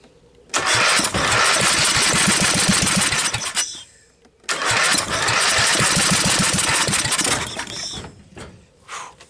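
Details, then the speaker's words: Briggs & Stratton 12.5 hp L-head engine with mice corrosion damage, choke on, idle setting, jump pack, starting fluid; two long cranking bursts with rapid uneven chuffing and firing kicks, dies each time, catches only on fluid. "I'm just going to hit it with a little starting fluid. The choke is on. The engine is set to idle."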